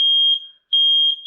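Two loud, piercing high-pitched beeps with a short gap, then a fading tail: the smoke alarm's test sounder is working properly.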